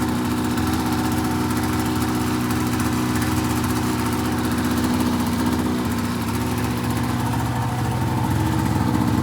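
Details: 2004 RMK 800 two-stroke sled with SOP exhaust; steady even idle burble with no knocks or misses throughout; idles cleanly and healthy.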